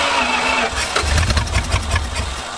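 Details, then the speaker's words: 1970 Plymouth Satellite first start in 35 years, new starter, no carburetor fitted: cranks and catches, then runs ragged and uneven with sharp pops and bangs backfiring through the open intake. "until we can get a carb on it we're gonna have it backfire all the time but it runs it runs it runs"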